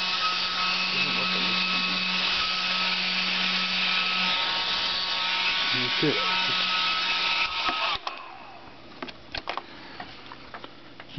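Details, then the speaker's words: Salvaged hair-dryer motor and fan powered through a 12 V car lighter cord for stoking a fire: a steady, even high-pitched whir for about eight seconds, then a clean cutoff. Finding: normal running. "could probably use this to stoke a campfire or something. It does work very well."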